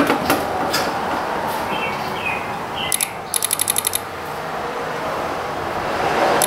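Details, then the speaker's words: Chrysler Pacifica with multiple electrical faults (TIPM): pressing horn button gives quick burst of about eight crisp relay clicks, felt at relays 55 and 56 (wiper on and wiper high/low) in integrated power module; cause suspected, not confirmed. "it felt like these two relays uh 55 and 56 which is the wiper on relay and the wiper high low relay it felt it felt like these two at least the best I could feel through my meat nuggets that those were the ones clicking for whatever reason"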